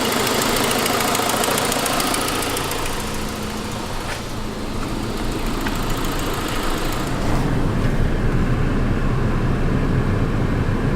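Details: 2006 Saab 9-5 at steady idle: sharp, fast ticking about four per second that sounds like a lifter but is an exhaust leak from a broken forwardmost exhaust manifold stud (fairly common); earlier a noisier turbo noise preceded it.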